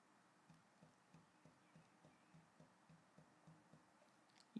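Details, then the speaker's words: NEQ-6 Pro mount after belt modification: soft, regular low clunks about three times a second as the RA axis is rocked back and forth, from remaining worm gear backlash, adjustable via the worm screws. "you can feel a bit of backlash when you move the the RA backwards and forth and you can even hear it I put the microphone on there and we'll see if we can hear there's a slight clunk as you move the backwards and forward"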